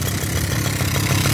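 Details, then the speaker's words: 1984 Suzuki LT50 two-stroke quad revived after sitting outside for years, oil not checked: brisk, crackly little two-stroke idle holding steady and even, with no misses or stumbles. Normal idle. "but I ain't really worried about it old thing's idling man what do you know"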